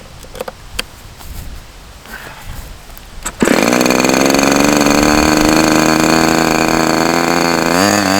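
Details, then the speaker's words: OS Max H60 model engine, first outdoor run, possibly mismatched carb: high buzzy drone that wavers and sags; fuel spraying out, owner suspects running too rich. "so it's strange I saw a whole bunch of fuel spraying up out of here so it's like it seems like it wants to start running but then it just gets too rich and that might be a factor of"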